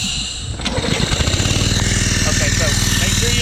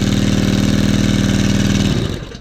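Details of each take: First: Brownie Third Lung Explorer 390-X (F390X-H) hookah compressor with Honda 5.5 four-stroke, brand new on first setup, restarted without first releasing the line pressure: engine labours in slow, heavy beats of about four a second, struggling to start against compressor back-pressure. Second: New Brownie Third Lung Explorer 390-X hookah dive compressor (F390X-H, Honda 5.5 four-stroke), first setup, started with the downtube unhooked to avoid compression: smooth, even small-engine beat holding steady speed without a miss, then winds down cleanly; normal running.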